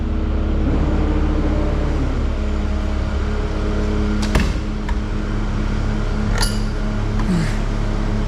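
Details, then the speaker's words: Cat 299D start after the hydraulic coupler and input shaft repair, hydraulic oil found low: steady diesel drone with a constant low hum and fans whirring, no knocking or surging. Runs normally. "fans running and suck the bottom out of that hydraulic oil well it's alive"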